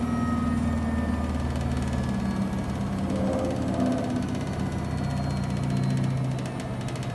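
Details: Replacement Samsung WW75TA046TE front-load washer on its 6th day, in a 15-minute wash with clothes after a technician adjusted the legs: heavy low rumbling with a steady hum in the cycle's second half; the technician called it not normal.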